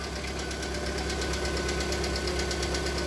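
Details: Lada Priora, VAZ 126 engine, bought recently, dirty oil, cold start while running flushing oil: quick, regular light ticking over steady idle, hydraulic lifters tapping; stopped after about five minutes running.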